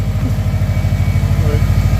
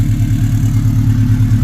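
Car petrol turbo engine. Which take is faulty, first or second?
second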